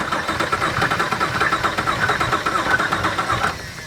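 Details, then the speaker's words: Car that stalled on the road after running low on oil and overheating, oil added. Steady starter cranking with even chugs around four per second that never fire. Suspected blown engine; compression later showed one cylinder at 60 psi and another at 95. Crank, no start. "well it looks like we might have a blown engine here we'll try it again engine cranking over"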